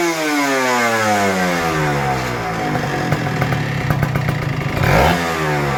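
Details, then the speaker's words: Kawasaki Ninja RR 150 two-stroke after service and setting fixing heavy pull, stutter and sticking throttle/KIPS; crisp revs climb and fall cleanly with no stutter or bogging; normal, healthy revving after repair. "jadi powernya udah enak dan suaranya juga nyaman ya"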